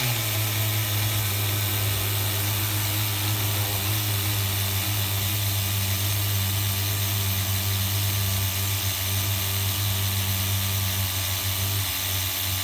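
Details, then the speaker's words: HPI RS4 Nitro F150 pickup RC truck glow engine on 16% nitro, retuned after overheating to ~350°F: steady even buzz with no sputter or surging; running smoothly on this tune. "you have to get your tunes extremely uh accurate when you're having a 16 and uh 16 and 16 in your Nitro here so I don't know if you guys can hear how smooth it sounds now"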